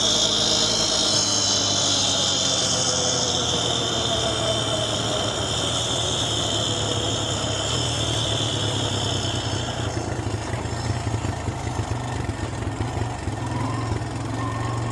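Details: 2008 Honda Recon ATV abandoned 15+ years, after repairs to a busted timing chain: steady single-cylinder thrum with an even beat and faint whine, no knocking or rattle; runs clean.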